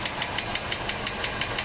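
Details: 1987 Mercedes W126 560 SEL V8 at idle, rocker cover on: sharp even ticking about six per second over smooth idle, top-end valvetrain knock; owner suspects worn camshaft needing replacement or regrind, not confirmed.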